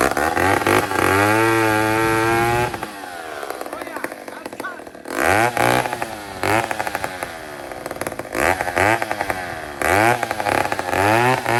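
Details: Old 150 chainsaw made in Toronto, Canada, after carburetor work, cutting a log with a short bar: revs up clean, drops steadily under cutting load and recovers without stumbling; normal healthy running under load.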